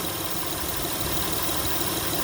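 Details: 2004 Acura TL after power steering reservoir replacement and bleeding, fluid topped off, no more air bubbles: steady, even idle hum with no pump whine or groan; normal, quiet power steering.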